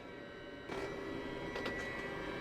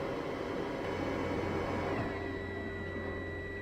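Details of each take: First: Narrowboat Webasto diesel heater, first start after fuel filter cleaning with some air left in the system: quiet hum, then a soft whoosh as the fan spins up to a steady whir with faint tone; normal start. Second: Narrowboat Webasto diesel heater after fuel filter cleaning: steady fan and burner hum, then the fuel pump ticking stops as the heater shuts itself down on a fault from air drawn through the filter with the fuel.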